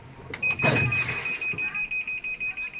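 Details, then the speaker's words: American Home automatic washing machine after repair of no-spin-dry fault (part replaced): sharp high beeps repeating about five times a second, the E2 door-open error alarm with lid not closed. "so e2 kapag door open"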